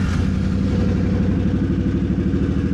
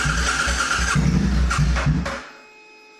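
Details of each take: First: C50 during a rebuild, first start after cleaning the tank and installing a new fuel pump. A fast, even single-cylinder putter with steady firing pulses and no knocks or misses. Normal, healthy running. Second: C50 during a rebuild, first test start after tank rust cleaning and a new fuel pump, old black oil, in the garage: two bursts of rough cranking with brief catches, each dying out; cranks but will not start.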